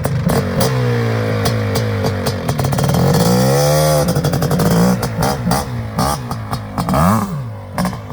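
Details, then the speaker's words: Suzuki LT500R Quadzilla 500cc two-stroke, needle clip moved for more mid-range fuel: dull, burbly, slightly muffled note through the gears; main jet suspected slightly rich, possible drop to about 170. "i don't know you take it from me it sounds like it might actually still be rich just a little bit"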